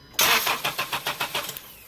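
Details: Unidentified car with a crank no-start during ignition coil removal and spark testing: the starter cranks at an even, quick rhythm, about seven turns a second, for over a second but never fires, then stops. The security light was not blinking.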